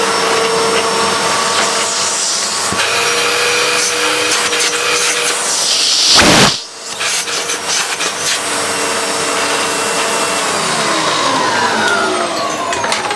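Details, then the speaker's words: Hitachi Powerhouse CV770D upright vacuum after refurbishment, with seals cleaned, motor fan washed and bearings oiled: a steady high-pitched motor whine with airflow rush, smooth with no grinding or rattle; much smoother, with more suction; normal running. "It is so much smoother. There is so much more suction now that all of the seals have been cleaned and the motor isn't full of crap."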